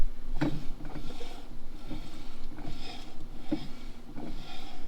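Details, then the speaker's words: Vintage Datsun 521 pickup drum brake after adjuster tightened then backed off slightly, wheel spun by hand: a faint scrape once per turn, light shoe drag judged an acceptable adjustment. "I hear that shoe dragging just a little bit I'm going to call that good"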